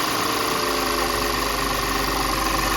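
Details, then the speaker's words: Audi 3.2 V6 after high-pressure fuel pump replacement: starts right up and holds a steady, even idle with no misfire or stumble, where before it sputtered and needed throttle to keep running; pump noise audible. "But yeah, it started right up before it would spun out and sputter, and you have to give it gas to keep running"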